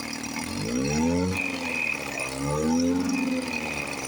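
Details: 1954 Johnson 5.5 HP two-stroke outboard after carburetor rebuild, low-speed mixture being trimmed (from 1.5 turns, in until RPM rises, back a quarter turn): idle note swells and eases, then settles into an even idle; running fine.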